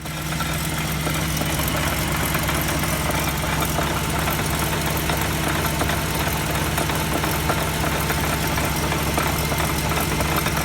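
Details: Wheel hub bearing heard through a mechanic's stethoscope: constant low droning hum with a rough, gritty edge that never lets up; worn hub bearing noise.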